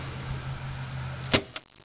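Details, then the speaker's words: Manzanita charger in an electric car, reinstalled with a new fuse and AMP knob set fully down, at breaker switch-on: low steady hum, then one loud pop and shutdown with a little smoke; owner presumes the fuse blew; loud pop at power-on. "and there's a very large pop and the thing just turned right off again so that's no good um presumably that was the fuse that just blew"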